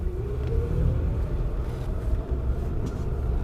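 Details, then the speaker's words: 1983 Plymouth Gran Fury, 318 V8, 2.2:1 rear end, non-lean-burn setup, cold day with fast idle on: faint whine rising with speed over the engine rumble pulling away in first gear; normal first-gear transmission whine. "you can hear the transmission has a first gear wine as did some other cars of the"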